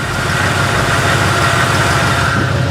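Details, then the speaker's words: Chevrolet K20 small-block V8 running for the first time in two decades after doing nearly nothing to it: steady, even low idle rumble without misses, knocks or ticks; runs fine, though stuck rings are suspected. "all right it's longer than that motor is running two decades she's running fine"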